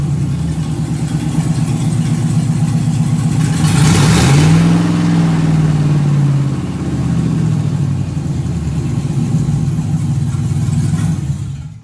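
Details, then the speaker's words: Solstice with swapped Gen V L83 5.3L V8, E92 PCM, PSI harness, stock drive-by-wire pedal pushed by hand: burble, revs pull up gently over a couple of seconds and drop back; sluggish climb, owner suspects stiff pedal, unconfirmed. "It does seem like, I don't know if it's just because the pedal's so hard to push with my hands, but the engine kind of climbs slow in the RPM, but it's definitely working, so that's great."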